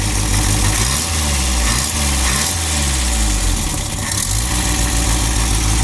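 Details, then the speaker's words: 1978 MG MGB classic car, first start on jumper cables: the engine catches and settles into a steady, even high idle with a clean, regular exhaust beat, no misses and no smoke. Normal running. "Yeah, we'll keep her on high idle for a minute. All right. Look it. She ain't even smoking."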